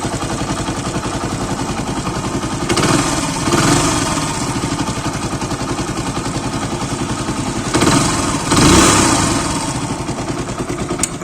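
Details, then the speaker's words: Deluxe single-cylinder motorcycle after a half-engine rebuild, fixing a piston noise: kick-started, idling with an even steady beat and two short throttle blips, no knock, normal sound. "गाड़ी को पूरी तरीके से complete fit कर दिए हैं। अब सिर्फ आपको स्टार्ट करके इसकी आवाज़ सुनाते हैं।"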